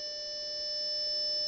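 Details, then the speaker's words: Atari 65XE with XC12 cassette drive under repair, saving data with the counter at zero; steady high data tones over a quiet tape transport, tape running fine; normal cassette save tones. "so now we do play and record and press ENTER and I've got the counter at 0 so we care that it's making the noises and the tape is going"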